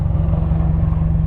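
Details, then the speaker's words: Lexus IS300 after new spark plug wires and a coolant leak fix, which cured earlier misfires: low, even hum with a regular beat and no skips; smooth idle around 700 rpm with the AC off, down from 900 rpm with it on. "So then it's idling around 700 RPM. Oh my god, the car is so quiet."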